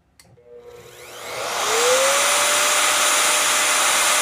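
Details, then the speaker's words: Vevor 5120 plunge router, 15 A, 3.2 hp, 3/4 in straight bit cutting an edge rabbet with chip-out: whine climbs then holds steady with no sag; normal running under load. "If this router doesn't notice it at all, it just plows right through. That was a pretty good job."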